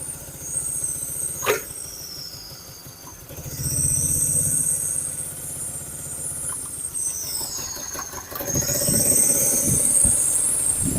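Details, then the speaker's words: BMW E30 with swapped-in M43 four-cylinder engine (from a later E36) idling rough and lumpy with an uneven low beat; blown head gasket leaking compression into coolant, middle two cylinders dead despite having spark. "We also have the middle two cylinders are dead. As you can see, there is spark, but it's not affecting the operation of the engine"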